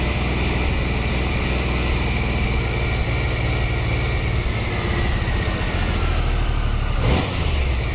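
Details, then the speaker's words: 1993 Triumph Trophy 3 900cc, 23 years old, started after a new upgraded sprag (starter) clutch was fitted along with a new oil filter, air filter and fresh oil. It settles into a smooth, steady idle with no clunking from the starter drive. Normal start and idle. "as you can hear you now we start it might be twenty three year old but it still goes like off the stick perfect"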